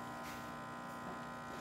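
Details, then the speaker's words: Nuova Simonelli Oscar II espresso machine after a new pump was fitted and scale removed; steady, even electric pump buzz during a test shot with no rattle or strain; normal pump operation. "we just put coffee in there and let it run as you can hear that pump rev up and yeah got a little bit of Cofe point out there there you"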